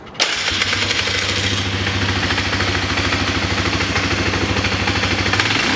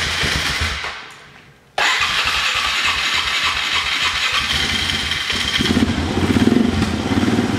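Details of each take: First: Polaris Sportsman 500 with CV carb, which bogged with the airbox on, now fitted with a 2001–2002 style snorkel airbox: single runs steady and even at fast idle with worn clutch clatter underneath; engine runs cleanly. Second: Polaris Sportsman 500 with an aftermarket carburetor, runs fine without the airbox: with the airbox refitted after a mixture-screw adjustment, the engine runs uneven and lumpy and never smooths out. Rough running from an air leak at the unsealed airbox.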